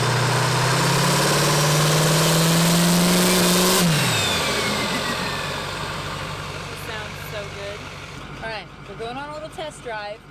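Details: Duramax diesel built to 1300 HP, freshly fitted with Industrial Injection XP600 CP3, 200% Flux injectors and FASS fuel pump: strong, even revving that climbs, then drops to a steady smooth run with no knocks or misses; healthy diesel.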